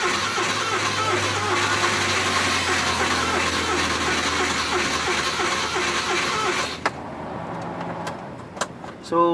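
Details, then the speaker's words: Suzuki van with hard starting: starter churns about seven seconds without catching, then stops; before repair, owner suspects the distributor cap and plans to replace it. "yun guys, hindi mandar. So siguro papalitan na natin na distributor cup."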